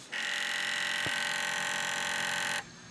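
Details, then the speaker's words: Sony PS2 Slim SCPH-70012 sold as non-working noisy drive, powered on: steady high-pitched whir with one click partway; disc drive noisy, cause unknown, laser condition unknown. "It says non-working noisy drive."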